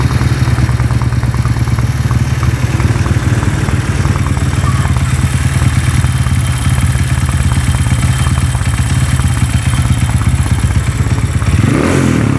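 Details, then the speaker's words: Honda CB motorcycle converted to a stroke-up engine, shaking badly: heavy, shaky low thumping with a coarse clatter that never smooths out at idle; worn connecting rod causing rough running and vibration. "karena ini yang bermasalah adalah di bagian setange kalau lemon menyebutnya seperti itu ya karena waktu tiga sedikit-sedikit hentakannya ke hentakannya kemlitik itu makin kenceng Rek Rek Rek seperti piston itulah seperti piston baret kondisi"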